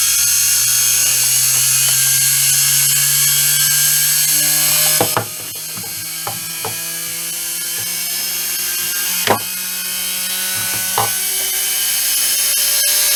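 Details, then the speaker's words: Peleng 1240GS Soviet-era gyro-stabilized binoculars, gyro brushed motor powered at 12 V, drawing about 10 W at start: motor whine climbing in pitch with light ticking as the rotor spins up; clean, healthy spin-up. "So let's spin it up at 12 volts and see how fast it goes. Just checking if this works. Right, let's go. It's drawing about 10 watts right now."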